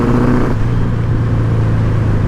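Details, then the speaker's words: 1983 Honda CB1000 C Custom motorcycle on a test ride with an aftermarket exhaust, pod filters on the carbs and likely original jetting; the engine drones low and sags in pitch under throttle. Owner suspects lean running and plans better jets. "bogging down because it has an aftermarket exhaust pod filters on the carbs and I probably dealing with original jetting so I'm sure I'm running lean at this point"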